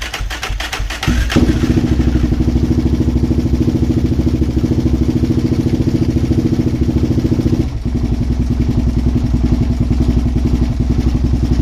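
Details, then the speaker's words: Suzuki LTZ400 quad being revived, with ignition wire jumped and choke on: single-cylinder thumping at fast idle with a loose, clattery edge to each beat; running but doesn't sound right. "I'll listen to it a little better and uh now that I have access to the ignition it won't be as crazy but yeah it didn't sound good though"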